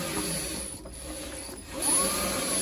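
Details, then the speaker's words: Renault Zoe ZE40 after the reduction gearbox repair, wheels spinning forwards and backwards as the traction check rocks them: smooth gear whine rising and falling with no grinding; sounds much better, gearbox healthy. "yeah that's sounding a lot better sounds a lot better so you can see it's it sort of spins the wheels forwards and backwards um and that's kind of like a um traction thing"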